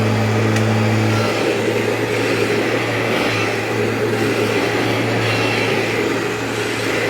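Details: Vacuum cleaner with HEPA bag bought from a customer, lower cord hook broken, possible leaks; smooth, constant motor roar with steady low hum, no grinding, rattling or pitch wandering, running normally.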